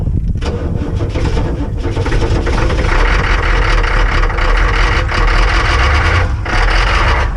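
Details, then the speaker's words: Ex-military Humvee (HMMWV) diesel with leaking fuel transfer pump, cold start attempt, slightly warmer: heavy uneven low clatter as it catches after cranking, briefly dies with white smoke (unburnt fuel), then rough loud cold run. "hey that's her oh shoot we lost it we're getting white smoke which means it's not burning the fuel it's trying"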